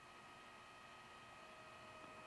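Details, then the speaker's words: Weber rotisserie attachment motor for the 22-inch kettle, on a garage workbench, mic about 5 feet away: faint steady hum with thin high whine, no surging or knocking; about 45 dB at 5 feet; quiet, healthy. "So I just turned the motor on, and I'm standing about 5 feet away. At this distance in here, you can hear it. It's definitely not loud."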